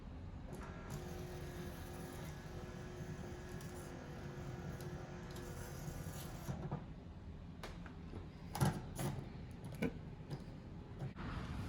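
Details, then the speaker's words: 2002 Lexus RX300 power antenna after replacement with a cheap eBay unit, radio switched on then off: faint, even motor whirr for several seconds, then light clicks as the mast seats; antenna goes up and down normally. "we just turn it on to go up and then turn it off to go down and sit in place so it's good working fine"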